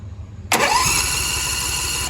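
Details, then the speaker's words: Riding mower after battery charged from 10.5 volts: starter spins engine at a steady cranking beat about six per second but it never fires; crank no start, electrical circuit and starter ruled out. "Okay, see how it's cranking and not starting?"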